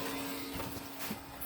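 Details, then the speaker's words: Beige Power Macintosh G3, long stored in an attic under dirt and debris, running: a steady mid-pitched hum with a rough rushing edge from the rear cooling fan. The owner suspects worn bearings, unconfirmed. "I think it's a bearings issue or something. There's nothing I can really do about that."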